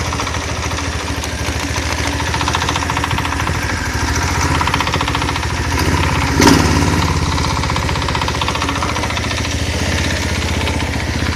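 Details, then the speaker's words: Small single-cylinder engine knocking unevenly at idle with no load; the knock disappears with slight throttle or load, such as switching on the generator lights. Appeared after the cover was reseated; owner suspects the crankshaft bearings have developed clearance. "появился стук двигателя на холостом ходу чуть нагрузку даешь и либо газу либо я просто свет включаю на генераторе и звук пропадает"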